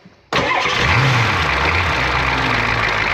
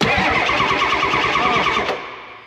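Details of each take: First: 1994 Ford F350 diesel fire truck, previously non-running from a fuel issue, after fuel system priming and glow plug cycle: quick crank, catches cleanly, steady even idle with oil pressure; normal start and idle. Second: 1994 Ford F350 diesel that was non-running from a fuel issue, cranked after priming: fast, even starter churning for about two seconds with no firing, then winds down; cranks but won't start.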